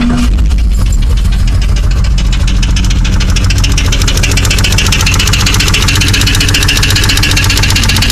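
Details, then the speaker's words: Jeep 4.0 idling after all lifters and pushrods were replaced, all pushrods and rockers moving: steady fast ticking over the idle that gets louder at higher rpm; valvetrain-area tick with source still unknown. "All the push rods, all the rockers are moving. Don't mind the antifreeze, I made a mess. But I'm still getting this tick."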